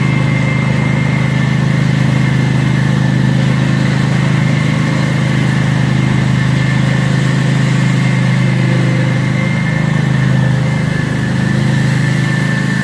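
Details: Cub Cadet zero-turn mower running after an oil and filter change and new fuel filters; a loud, steady, deep unmuffled roar that holds constant. Loud exhaust from disconnected muffler.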